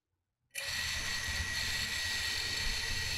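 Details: FPV drone brushless motors spinning up together unloaded, props off, after motor reorder in ESC configurator while setting up RPM filtering: steady high whine, no roughness or ticking; normal motor spin.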